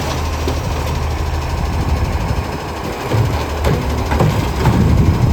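Deep, heavy low roar from the diesel at idle, swelling louder as it pulls away; sounds like exhaust escaping before the muffler. Cause suspected, not confirmed.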